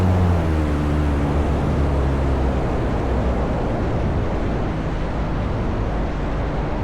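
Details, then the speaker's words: Flying Inflatable Boat (FIB) engine in flight: drone sags in pitch and fades under rushing wind within seconds as the engine quits unexpectedly; pilot turns steeply into the wind for a dead-stick emergency landing. Engine losing power in flight. "It's about this point in time I realized my engine's definitely going to die on me and I have just enough altitude to make a steep turn so I can point into the wind for landing."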